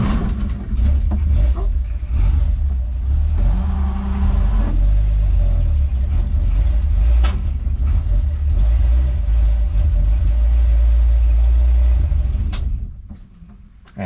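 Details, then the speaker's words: 1963 Ford Falcon Ranchero ute abandoned for years in a wrecking yard. Engine stumbles and bogs as the throttle opens, revs sag unevenly and nearly stall. Running lean, possibly a vacuum leak or a badly blocked carburetor idle circuit. "that's sort of telling me leaning out um maybe maybe a vacuum leak or maybe just the idle circuit is really blocked"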